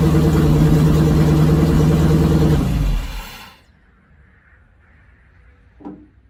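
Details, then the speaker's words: Ford Model A LS V8 swap, first runs after fixing a wiring harness plugged in flipped backwards: runs a few seconds with lumpy, uneven beat, then fades and dies rather than idling; stays running only with key held in start. "So got some work to do to figure that piece of it out, but I got the firing motor running. So my wiring harness I flipped completely backwards. Yeah, that was fun. So it sounds like we have ourselves almost a running engine."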